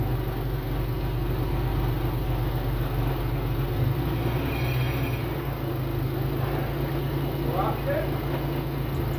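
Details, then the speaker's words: Nissan S14 at smooth even idle after inspection found the earlier knock came from an improperly seated cylinder four coil pack, not rod knock: steady drone, no knocking or ticking. "that's going to cut it here as you heard it is currently not knocking or making that noise or anything like that so we're good to go for now"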